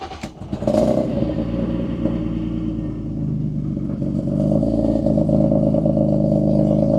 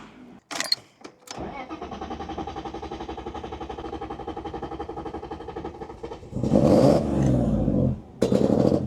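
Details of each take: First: BMW E36 just after fitting a new O2 sensor: brief rev, then a steady, even idle hum with no misfire or stumble; running smoothly, much better than before, though still smelling slightly rich. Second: BMW E36 drift car, hard start: engine cranks, catches and settles into a pulsing, slightly lumpy idle before a couple of blips; previously logged cylinder six, cylinder five and random misfires, running rich and flooding, cause not confirmed.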